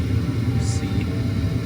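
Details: Attic gas furnace started by touching red to white thermostat wires, exhaust inducer fan coming on first: steady low fan hum settling in evenly, no rattle or scrape; everything normal and running good.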